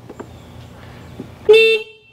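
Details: 1985 Honda Elite Deluxe scooter from a salvage yard, abandoned for years, key on and powered by a jump box. A short, clear horn toot about a quarter second long over quiet surroundings; the horn works.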